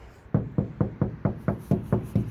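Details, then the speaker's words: Ford Flex door section with no sound deadener, knocked from outside for comparison with a four-layer (400 mil) treated section: ten hollow knocks about four a second, boomy and drummy; bare untreated door skin. "That's about as solid as you can get for that top section versus this that has no treatment."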